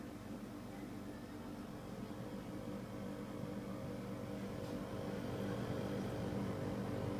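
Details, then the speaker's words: DeLonghi DEM10 compact dehumidifier, a few days old: steady low hum with a strong even buzz, loud enough to hear all over the house; the unit also keeps cutting out. Cause unclear. "Noisy, keeps cutting out as well, so I'm sure they're not all like this."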